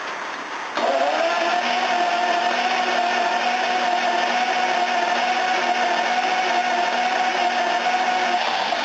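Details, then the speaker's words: V12 engine cranking in the rain for about eight seconds with a steady whir but never firing; has spark, injector pulse with injectors clicking, and fuel; owner suspects it's flooding from injectors; hard starts happen lately. "So, I'll see if it starts now. Got good spark. Got injector pulse. You can hear them clicking. Got fuel. It just won't go."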